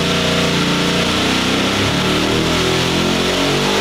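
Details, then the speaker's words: Boosted engine on a dyno with a big cam: loud engine suddenly unloaded, screaming to peak revs and bouncing hard on the rev limiter as the dyno broke, shaft apparently out of the coupler and smoking. "see okay that last little thing was something in the dyo broke m r clear out there I think it came separated out of the Pu or something so we'll uh go check that thing out sounds like the or the Sha came out of the coupler"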